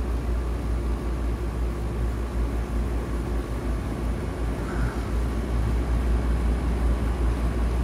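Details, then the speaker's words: Rooftop condensing unit at an apartment complex, TXV system, during charging of low refrigerant in quick spurts: a steady, even compressor and fan hum. The low-charge rattling has gone away. "It's quick spurts. Just like that. I hear all that rattling went away."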